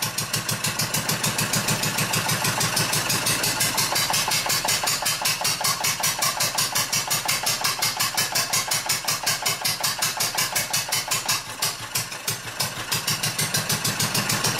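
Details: Old Wolseley stationary engine from Birmingham, England (sheep-shearing drive), flywheel pushed down by hand to load it: steady sharp firing beats about three per second, each pulling hard and even; healthy engine with lots of torque under load.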